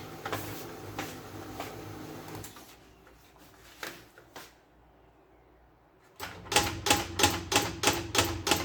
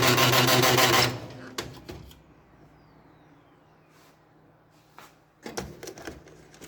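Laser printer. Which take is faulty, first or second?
second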